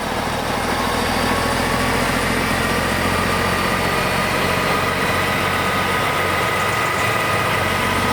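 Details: BUCKETMOUTH forestry stump grinder, 1.2 m wide, 1.7 m high drum over 6 tonnes, running at startup: heavy, even engine roar with steady drum whir, no knocking, grinding or vibration surges; drive sounds healthy.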